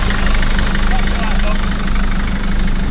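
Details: BMW 630i bought for scrap, started on a weak battery: rough idle with an uneven puffing beat, nearly two a second, over the clatter. A chuffing injector blowing past its seal causes the smell; oil is dripping underneath.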